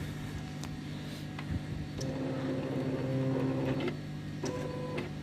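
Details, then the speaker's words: Silhouette Cameo 3 cutter after disassembly of the loading/unloading roller drive, base plate refitted: light motor hum and soft stepping whir with no knocking or grinding; roller drive now runs smoothly, noise gone. "now we just put the base plate on so now hopefully with some hoping dreaming and praying the machine will not make that noise anymore"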